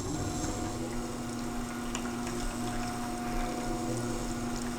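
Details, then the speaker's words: Tormek T-8 polishing a chisel edge in the jig on the finer-grit stone, using the whole stone; steady low motor hum with a soft wet hiss, much quieter than the coarse grind; normal fine-grit sharpening. "now you can immediately hear a difference in the grinding sounds uh it's much quieter here using that finer grit still using the whole Stone all the way back and"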